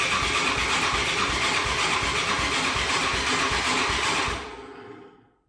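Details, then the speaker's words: Can-Am DS 450 quad on a start attempt: uneven chuffing bursts about three per second, then it dies out. The owner suspects it isn't getting fuel, since the spark plug was checked and showed a good mix. "So as you can tell, I'm going to try to start up the bike, and you guys will be able to hear what how it's like sputtering, it's like almost like it's not getting fuel to start."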